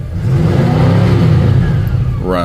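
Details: 1959 Cadillac sedan V8 after exhaust leak and carburetor sludge issues were addressed: deep, steady rumble with a smooth, even beat and no popping; runs cleanly.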